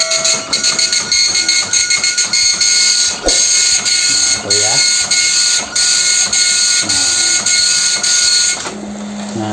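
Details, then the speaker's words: Epson LQ-2190 dot-matrix printer that kept stopping mid-print, after unplugging and reconnecting all cables: buzzy high-pitched print-head bursts and carriage sweeps continue without stalling, printing twice without stopping; running normally again. "Nah itu udah dua kali ngeprint nggak berhenti ya"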